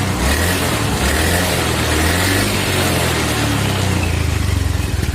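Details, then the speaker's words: Honda Beat FI scooter after CVT/gearbox repair, revved in short throttle blips while stationary (rain prevented a road test): even drone, the earlier rough rattle gone. "suaranya aman udah enggak seperti info2 nya Kasar banget"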